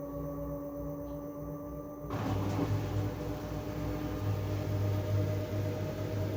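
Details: LG TurboWash washer on the TubClean cycle: steady high squeal over the drum's low hum, getting louder once the drum picks up speed; squeaking noise, source unknown.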